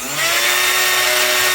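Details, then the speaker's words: 3018 CNC router with replacement faster spindle motor, three-sided 30-degree bit, no speed controller: high steady whine with strong ringing over hissy cutting, louder than at first install; spindle resonance at this speed suspected, speed controller planned. "We'll probably tell in the edit, but I mean, this almost sounds louder than when I first put it in there."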